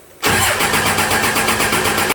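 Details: 2001 Dodge Ram Cummins turbo diesel swapped into a 1952 Dodge M37, first start attempt: brisk, steady two-second cranking without a catch; air in the injector lines.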